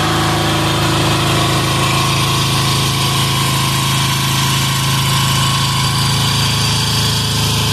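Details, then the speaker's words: Amazon 186FA single-cylinder diesel engine running on waste vegetable oil filtered to half a micron: steady low thumping idle, even and unbroken with no misfires or knocks; throttle response okay, judged a success. "oh throttle response is okay all right that's pretty cool oh that one is I call that a success too"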